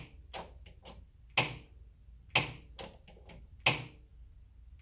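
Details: Car fitted with Aldan coilovers, jacked up: sharp isolated clicks with softer ticks between them, no engine; clicking also heard when braking or accelerating, owner suspects the spring as it expands or compresses, cause unconfirmed.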